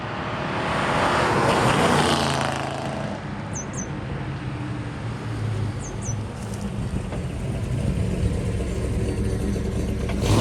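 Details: 1963 Ford Galaxie 500, dual-carb 390 V8 with manual gearbox, test drive after a leaking carb float with a bad solder hole was fixed: deep, steady rumble builds smoothly pulling away under road and wind noise, running cleanly without misses.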